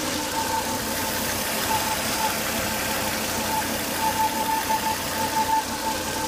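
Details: Volvo S80 2.5T engine after 10 to 20 minutes running: thin on-off whistle around 900 Hz over a steady rush; high vacuum at the oil cap from failed crankcase breather box, solved by replacing the breather box/filter.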